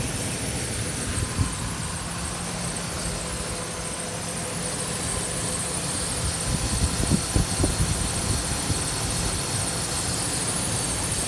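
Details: 2008 Ford Ranger XLT 2WD 3.0L V6 5-speed manual, 147K miles, no check engine light or codes, engine bay idle: even idle, steady low drone under some hiss, no knocking or ticking; healthy engine.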